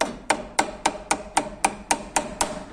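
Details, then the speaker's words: Peugeot 206/207 front brake: loose pad clacks sharply inside the caliper, under four knocks per second, because the small anti-rattle spring that takes up pad play is missing, letting the pad and caliper work loose. "tem uma bolinha que fica aqui ó para tirar essa folga da pastilha então não deixa a partir de ficar batendo dentro da pista esse barulho aqui ó"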